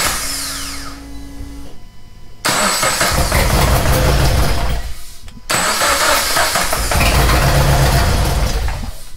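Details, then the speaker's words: Race car's freshly reinstalled engine, first start after refit, catches and idles rough with an uneven, lumpy beat, sounding like it runs on two cylinders; one cylinder not firing, traced to the front cylinder. "that doesn't sound good sounds like it's running on two cylinders why would it be doing that"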